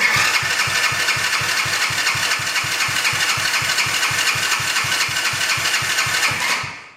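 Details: Quad bike started after a carburetor clean and battery charge, choke on. A small single settles into a steady, even beat of about four firings a second with a bright exhaust rasp: runs smoothly, normal running.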